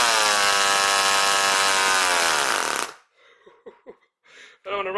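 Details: NR200 8.6cc twin-cylinder four-stroke glow engine (rated 22,000 rpm), type F glow plugs, first start-up on factory settings: screams at very high revs with a clean, even howl, then cuts out; normal first start-up.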